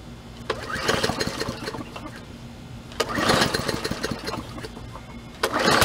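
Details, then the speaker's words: Free MTD push mower with hard-pulling rope, possibly hydro-locked, after oil change and gas tank cleared of sediment with fresh gas, three primes: catches, runs in uneven bursts with lulls, picks up again; nothing abnormal. "so I'm gonna start it up here and see what she will do you guys right there three primes and what she does"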